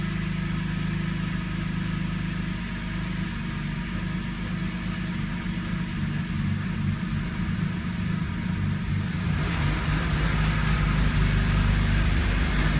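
Cold engine idles unevenly with a lumpy, uneven low throb and a rising hiss near the end; rough cold-start idle.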